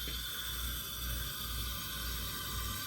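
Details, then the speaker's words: Steady, even hissing roar with a soft low pulse and no sputter or flare-ups. A restored Albert Lea Foundry Tourist camp stove, thought to be from the 1920s, burns cleanly, with gas to the secondary burner. "Then we can get some gas coming down to the small end, or to the secondary end. There we go. And we have a functioning stove, folks."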